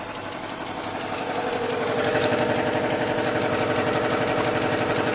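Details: BMW 325xi Touring manual, non-running auction car now idling: a light, steady tick about four times a second over an even idle, getting a bit louder; source not pinned down, hoped to go away.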